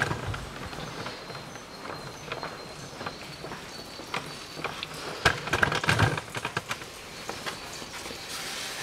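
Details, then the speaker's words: Mitsubishi ASX 1.8, 2013, on the ground, rocked side to side by hand: sharp, irregular clunks from worn front sway bar end links on both sides; bushings fine, links replaced with Lemförder 3491101. "Просто берем, упираемся и раскачиваем его. Сейчас он на подъемнике не стоит. Вот такой вот стук."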